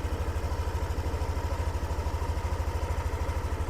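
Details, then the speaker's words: Yamaha Aerox Connected scooter that ran out of oil, after ISC reset and battery at 11.8 V: steady, even low putter at idle about three beats a second, no ticking; quiet, healthy idle. "Oke. Suara mesin juga udah adem ya."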